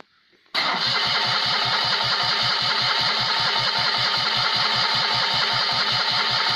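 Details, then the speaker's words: Rebuilt Citroën 2CV engine (652cc conversion, Solex twin-choke carb rejetted) on first start with no exhaust fitted: the starter spins evenly, about four compressions a second, for six seconds without catching; the owner suspects an empty float bowl. "the carburetor float bowl will be completely empty so that's probably why we're not getting an instant spark"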